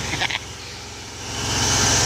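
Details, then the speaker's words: Ford 300 inline six converted from EFI to a carburetor, full 2.5 in exhaust: low, even six-cylinder hum under a rising hiss as revs climb, no misfire or knock; healthy, smooth-running engine. "she does run in it sounds pretty decent it does sound like a tractor though I have to admit it sounds like a [Music] tractor she runs good"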